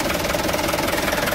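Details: Mitsubishi Canter truck after the starter motor was removed and refitted because of a damaged starter bendix gear: diesel ticking over with an even, steady clatter, no grinding or catching; normal smooth idle.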